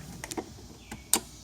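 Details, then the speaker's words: Scotts riding mower, engine off, after taping a burnt wire: several sharp, crisp clicks as the key is turned; the fuel cutoff solenoid, which did not click before, is now actuating properly. "I tested that fuel cutoff little plunger thing safety switch or whatever it is and it actually works"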